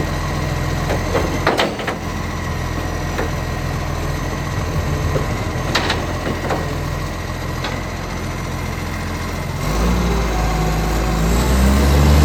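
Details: Ryde Recycling garbage truck SL757, about 10 years in service, diesel idling during pickup run; deep steady rumble with sharp puffing ticks on top, exhaust leak.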